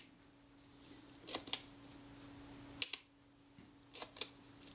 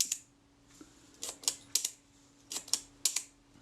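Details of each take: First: Kodak Retina IIIc shutter at 1/15 s after escapement pin adjustment: sharp paired clicks a couple of seconds apart, each opening and closing crisply and evenly; timing pretty credible, close to correct. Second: Kodak Retina IIIc shutter set to 1/8 s after bending the escapement pin with a hollow punch to slow it: crisp paired clicks barely a tenth of a second apart; still running fast but much better than before.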